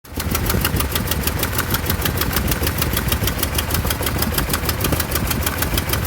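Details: 1988 Toyota Pickup, 22R engine with Aisin carburetor, idling after head gasket replacement; fast steady ticking over an unsettled, shaky rumbling idle; rough idle, cause not yet found.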